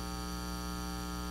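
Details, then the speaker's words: Steady low buzz with stacked even overtones at constant level, an audio ground loop hum, demonstrated before testing the Sescom IL-19 hum eliminator with isolation. "to return to our problem here's that hum again specifically it is a ground Loop hum"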